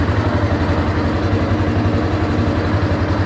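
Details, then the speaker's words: 1989 Yamaha Moto4 350 after top-end rebuild (new rings, valve seals, gaskets, oil and filter; valves need adjusting soon): even thumping idle about four beats a second, no ticking or knocking, little smoke; runs smooth. "But sounds good, and I got it all back together."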